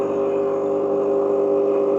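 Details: Gemilai 3007Z espresso machine, pre-infusion demo with P1 as pump-on time and P2 as pump-off time. A steady mid-pitched vibratory pump drone holds for about two seconds, then cuts off cleanly. Normal pump operation.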